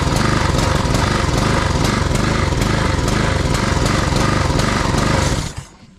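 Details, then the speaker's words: Husqvarna push mower, Honda GCV160 engine, after tune-up with new air filter and cleaned carb: idles okay on choke, but choke off it surges with uneven pulsing and dies; lean running, suspected clogged jet. "so as you can see um seems to idle okay until you take the choke off as soon as you take the choke off it starts to um starts to starts to die"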